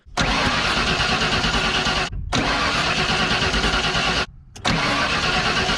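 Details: 1992 Ford F150 XLT, 302 V8, E40D automatic: long cranking bursts with short pauses, never catching. Tests show all injector connectors working. The owner suspects dirty or clogged fuel injectors, later found looking terrible. Cranks but no start.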